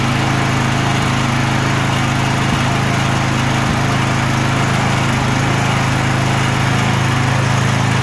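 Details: Murray 24-inch rear-engine riding mower with 190cc Briggs & Stratton engine, after carb clean and fuel tank and line flush to remove milky bad fuel: steady, even single-cylinder beat, no stumbling or surging; fixed, was a no-start.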